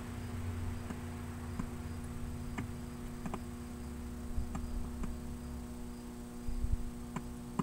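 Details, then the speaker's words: 1966 Zenith 25X4529 TV (chassis 25NC3B) being powered up after years in a garage: low steady mains hum with sharp irregular crackles as the current meter jumps to about 10; suspected short in the HV/horizontal sweep section. "I'm hearing a sound that I don't like over here that sound and it's drawing current when it does that see that meter bounce up I don't know if you heard that that current went up see up to like 10 there's a short in here"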